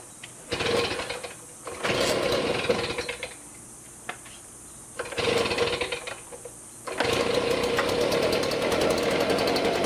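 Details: STIHL BG55 two-stroke blower after a new spark plug, air filter, fuel filter and spark arrestor, on fresh mixed gas: it blips up twice, then holds a steady, even high-rev drone, running smoother.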